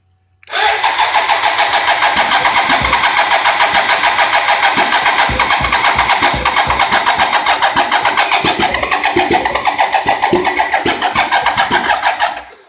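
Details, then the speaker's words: 1987 BMW K75S with new cleaned injectors, new fuel pump, fuel filters and battery: steady fast cranking with weak, irregular firing and clunking near the throttle bodies; it tries to catch but never runs, cause undetermined. "sounds like it's getting ready to fire but it's just not sorted"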